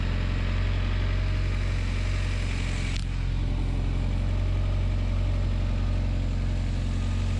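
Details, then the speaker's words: Turbo Honda Accord after line repair: smooth, low idle with an even beat, no ticking or knocking apart from one brief click; no drips or rattles, though a long-standing upper engine head rattle is mentioned. Normal idle. "Sounds fun. So, I think we're back. No drips, no issues, no problems, no rattles."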